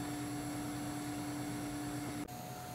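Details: Thermo Microm HM 525 cryostat whose chamber had warmed above room temperature, after reset and while cooling down again: steady, even compressor hum with a low pulsing drone and constant mid tone, running normally.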